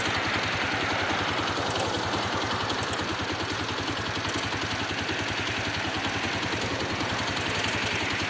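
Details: Honda XR200 single-cylinder idle: a light, fast tick of roughly three or four a second riding over the exhaust; cause not yet identified.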